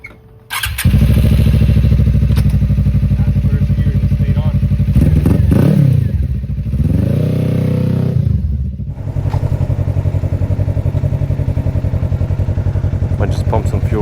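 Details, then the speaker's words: 2018 Suzuki GSXR after splicing the wiring: steady even low engine drone holds through shift into gear without stumbling or dying; stalling fixed, running normally. "Let's see if this thing stays turned on now when I put it in gear. Let me see now. It's in gear now."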